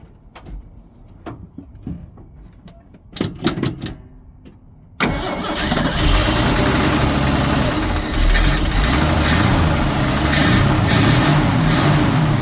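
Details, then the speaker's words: Ford six-cylinder, cold start on a freezing morning, battery borrowed from another truck: catches on the first try and settles into a steady, even idle; healthy normal cold start and idle. "man this is a good truck that's a that's a that runs that didn't do anything to that it runs better than the stuff I work on"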